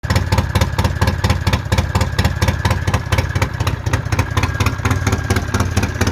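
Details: Polaris Sportsman 700 ATV idling with a sharp, regular puffing tick on each firing pulse from an exhaust leak.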